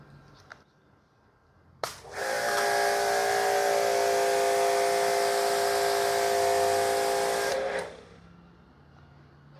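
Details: Tecepo 1400W induction-motor pressure washer, camera near the pump, strong mains water feed: quiet, then smooth even motor hum with steady pump whine for six seconds, stops cleanly; healthy.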